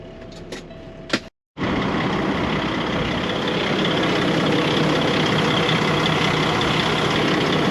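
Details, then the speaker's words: Farm grain truck idling in the field, air pressure not building: steady hiss of escaping air over the diesel rumble; an air leak in the air system, heard plainly but its location not found. "so we've got a problem our air is not building in the truck meaning we've got an air leak somewhere that's got to be fixed"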